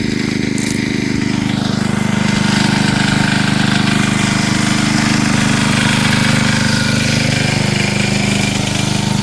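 Small engine holds a steady, even drone with a regular fast beat and no hunting or misses; the generator is running normally under load.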